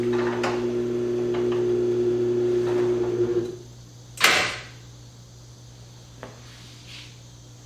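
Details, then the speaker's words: LiftMaster 8500 garage door opener closing the door: a low, even motor hum for about three seconds, then one solid clunk as the deadbolt lock engages at the bottom; a quiet opener working properly. "Let me put it back down and listen. When it gets to the bottom, you'll hear that lock, that dead bolt engage. I like that feature a lot."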